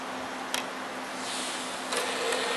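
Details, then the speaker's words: PS3 Slim CECH-2002x 120GB Blu-ray drive after removing two stuck discs and resetting the drive, accepting an inserted disc; soft whir and light mechanical ticks, no grinding or clatter, loading normally. "the day of EV is accepting the disc let's see if it reads it"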